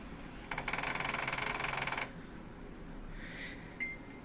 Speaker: so my Xbox One apparently has that grinding issue that a lot of people have been complaining about regarding the drives